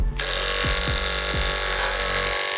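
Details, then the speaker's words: Clipper with a blade sharpened perfectly flat on a block, oiled with clipper blade oil, cutting a chunk of wig hair: loud buzzing motor audibly slows and drops in pitch as it bites, hesitating and bogging yet still cutting. "So you can hear it's chunky. It does work. So it does work, okay? So you can hear it. Hear it slow down. But it is cutting it."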